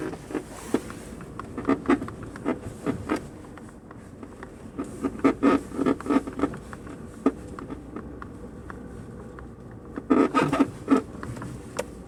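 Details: Kia Rio suspension: irregular short high-pitched squeaks in bursts as the body moves over a quiet background, likely a squeaking suspension joint or bushing; cause suspected, not confirmed.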